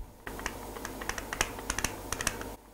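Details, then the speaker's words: Vaillant Ecotec boiler with original Wilo circulation pump disintegrating; irregular sharp clicks about two a second over a faint low hum; failing pump, failure imminent, replace with Grundfos 17-8983 pump body. "even if it's very faint get someone and get it changed because it's going to leave you without heating a hot water"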